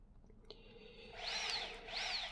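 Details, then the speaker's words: Bafang M510 e-bike mid-drive motor on the table, no load, spinning freely at high RPM: two smooth, deep, fairly quiet whines sweeping up and down; axle seems lower RPM than M560, possibly different final gear ratio. Healthy unloaded run. "So this is M510, has deeper sound, and looks like also the axle has lower RPMs, so maybe the final gear ratio is different."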